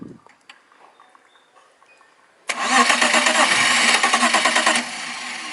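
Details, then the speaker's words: BMW E36 petrol car cranks but won't start: starter whirs about two seconds with even rhythmic chugging, about three per second, never firing. The fuel pump relay signal is present while cranking, so the ECU is judged normal; the fuel pump is being diagnosed. "Karena apa? Karena si relay full pumpnya ini sudah mau nyala tapi kok tidak mau hidup."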